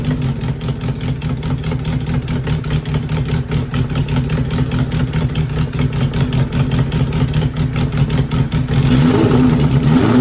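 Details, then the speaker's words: Suzuki GS750 four-cylinder under restoration, started on choke with the fuel tank on reserve, runs on all four cylinders with a rough chuffing exhaust note from leaks in a temporary exhaust awaiting replacement: exhaust leak. "So that's good news. Sounds like it's running on all 4 cylinders. Bit noisy with the exhaust leaks, etc., but that's to be expected."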